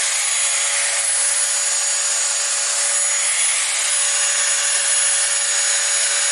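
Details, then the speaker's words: Shop vac brushed motor after repair (bearings greased, rust cleaned off motor) that had squealed and smelled hot: steady even high rushing whoosh with one constant tone, no squeal or rubbing; normal running. "So I think we've got a pretty substantial improvement in the noise that this thing's making."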